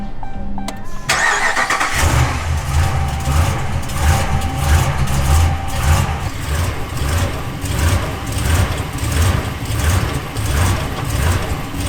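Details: Dodge Ram 1500 cranks and catches on a morning cold start, then idles unevenly with a loping surge, struggling to hold idle; fault only in the morning despite cleaned throttle body, and the throttle body may need programming.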